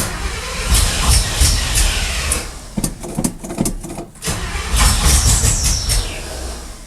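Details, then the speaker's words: Chevy square-body truck with an electric choke, carb recently worked on: the starter churns and the engine coughs and catches in uneven bursts, then dies; suspected flooding or not enough fuel, cause unconfirmed. "not enough fuel but it sounds like it wants to run like a wild chicken"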